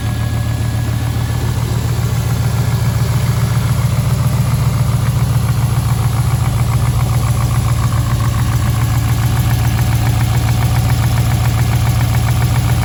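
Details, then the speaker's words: V8 rebuilt about 3,500 km ago, cold start: deep, even idle with a steady low rumble and no heavy tapping from the lifter that had ticked; normal cold idle, though the owner reports a persistent slight misfire. "that's not bad that is not bad"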